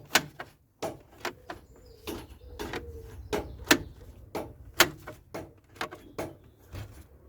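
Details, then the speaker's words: Ford bonnet release on a CVH-engined project car, after GT85 lubrication, cable being pulled: sharp, uneven clicks about once a second; the latch opens a bit easier, but it likely clicks because a perished rubber bush on the cable has fallen off or disintegrated. "if it clicks now well it is operating it is very very weird how it seems to be making that sort of clicking sound and when I pull this cable I'll tell you what the clicking is there was a little rubber Bush there that I think it fell off"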